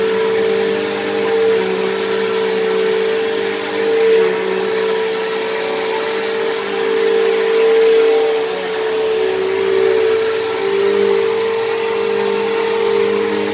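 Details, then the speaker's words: Dyson DC07 vacuum, left sitting a long time: a loud, steady high whine at one pitch. It was loud from worn motor bearings and has worsened; owner suspects the brush roll or motor bearings dried out. Much louder than a similar Bissell. "now even when i first got this thing this thing was a little bit loud because the motor bearings are a little bit worn but it has gotten a little bit worse"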